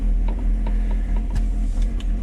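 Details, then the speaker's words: 1999 Mercedes-Benz SLK 200 (R170), which had been idling rough and surging at low rpm, just after a throttle body cleaning, in neutral with the hood open; idle is low and uneven with stumbles and faint ticks, searching while the computer relearns, possibly with leftover liquid cleaner. "you can hear the car idling a bit rough and searching and the computers trying to figure out what to do this is normal as we clean the system a bit"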